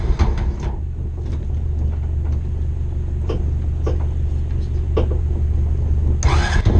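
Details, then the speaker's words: 2001 Honda Rancher ATV revived after sitting outside for years, new carburetor, fuel petcock, pull start and battery: low, steady idle thump with an even beat, a little smoke, possibly diesel in the gas; running cleanly, checking for leaks. "we're gonna let it run for a few minutes make sure we don't have any leaks anywhere a little bit of smoke but I think that's what goals there's diesel in the gas"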